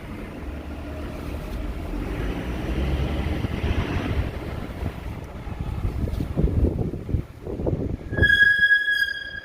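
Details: Toyota Land Cruiser GX 300 Series: low rolling rumble turns into a sharp, steady high-pitched squeal as the vehicle slows; brake squeal owner believes the dealer did not fix.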